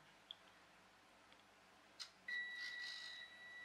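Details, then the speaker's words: RC ESC powered by two CR2032 3 V coin cells in series (6 V): quiet background, then a steady high beep that stutters and drops out; receiver operates but insufficient current to drive servo or motor. "well it's sort of working in that's the receiver is operating but there's not enough power here to drive the motors in fact it's struggling and you can hear that yes see that high-pitched whine that there's not enough power there to operate the servo and not enough power to drive the motor"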